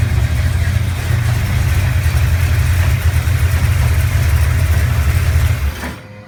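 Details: 1970 Chevelle 454 V8, cold start after oil change with additive and completed flat-tappet cam break-in: heavy, low burble at smooth steady idle, no ticking or knocking, then shut off; normal idle.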